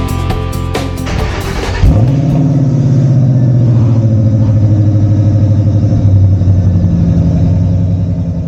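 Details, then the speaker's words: 2010 Mustang GT (S197) after aftermarket headers installed while replacing an O2 sensor; starts right up after brief crank into a deep loping idle with added metallic growl, exhaust a bit louder but not too loud; healthy. "The Mustang now has an additional metallic growl. The exhaust is a bit louder but not too loud. Sounds good when cruising but aggressive when I step on it."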